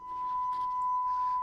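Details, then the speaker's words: Rolls record player amplifier during restoration, playing a 1 kHz test tone. It is pure and steady with no crackle or dropouts over faint hiss, and the waveform is within spec. All working after a very dirty balance pot was cleaned. "If I go to 1 kilohertz, you can certainly hear that. And there's our waveform for the 1 kilohertz."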